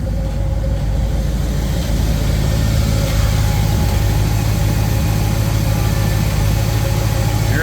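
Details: Small-block Chevy with freshly installed 1.6-ratio roller rockers, oiled by hand without assembly lube, first start: smooth, even V8 idle with a steady low rumble and no valvetrain ticking or tapping; sounds healthy.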